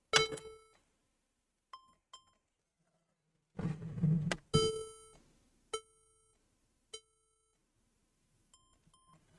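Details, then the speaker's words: HP laptop with no display, after CMOS and battery drain and reconnect: clear beeps repeating, three long and two short, instead of booting; motherboard suspected bad, possibly memory issue. "so obviously it is not working as soon as i put the battery back in then you're still getting the three beeps and two short beeps so in other words to me i feel like the motherboard is bad at this point"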